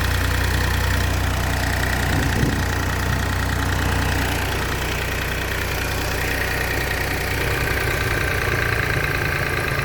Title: BMW X1 18i b38 ticking sound on cold start